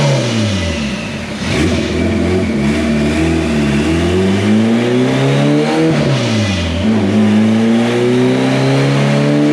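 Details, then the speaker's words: AWD turbo Integra warmed up and doing dyno pulls: the revs rise and fall under load with a flat, uneven climb and very low power. The owner suspects it may be blowing through the clutch; the cause is unconfirmed, and a boost leak test is likely next. "It kind of sounds like it's blowing through the clutch, or something's going on. It's making really low power, and the graph looks terrible, so I'm trying to figure out what we're going to do."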